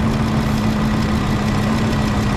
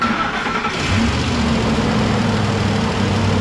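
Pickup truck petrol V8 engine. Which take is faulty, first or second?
first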